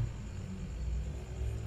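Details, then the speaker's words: LG single-door fridge not cooling, compressor previously only humming with bimetal clicking: after relay/overload check, compressor runs with a steady even hum, drawing about 0.5 A at start, no clicking or stalling. "Nah di sini untuk mesin kompresor nya sudah nyala ya 0,5 nanti ini semakin naik ya teman-teman ya karena ini waktu start"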